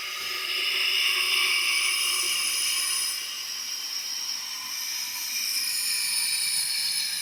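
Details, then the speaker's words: Tecumseh generator engine on a leak-down test, about 80 PSI fed in and holding only about 35, turned slowly: steady high airy hiss rising and falling; heavy airflow out the intake and exhaust, none at the oil port, pointing to leaking valves. "I don't really feel anything coming out of the oil port, but we definitely There's a lot of air flow coming out through the intake and exhaust."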